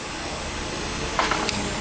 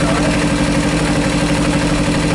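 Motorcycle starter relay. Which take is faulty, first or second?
first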